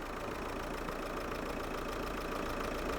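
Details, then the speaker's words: 2003 Hyundai Santa Fe 2.0 CRDi diesel just after a timing belt and water pump job: even diesel clatter at a steady idle, about two beats a second, no odd knocks; healthy, injectors possibly still adapting. "now you can hear the engine a lot better now just to start up the injectors just need a bit more uh time to program in I think"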